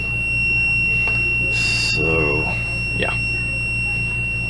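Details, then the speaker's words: RV bathroom ceiling-light circuit that kept tripping the breaker, possibly from an oversized fuse: multimeter continuity beep holds steady and unbroken on a melted wire behind the converter, showing it is still shorted. "you can hear I've still got the meter hooked on that wire so it's telling me it's still shorted"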